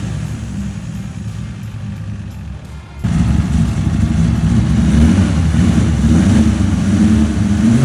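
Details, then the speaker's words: Newly installed L28 engine in 1978 Datsun 280Z: catches after a few seconds and runs rough with a lumpy, uneven beat and unsteady revs; owner suspects timing, maybe distributor, fuel injection, tune or fuel pump. "Now, in that video, you'll hear that it didn't runs super great. Uh, I think I'm having a bit of a timing issue."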